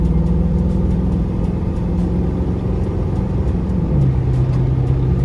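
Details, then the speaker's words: Automatic transmission replacing a previous 700: steady engine drone under road noise, pitch drops cleanly at upshift around four seconds, running first, second, drive, overdrive; normal smooth shifting. "It run from first, second drive and then overdrive."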